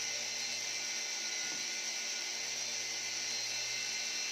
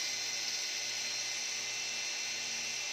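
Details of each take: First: E88 Pro toy drone motor, owner suspects it burned out after repeated failures to start; thin steady high-pitched electric buzz with no spin-up, motor vibrating in place, neither propeller turning. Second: E88 Pro drone being disassembled because one propeller would not spin: steady, high, thin whine from all rotors spinning evenly with no stutter or drop-out; motors running normally.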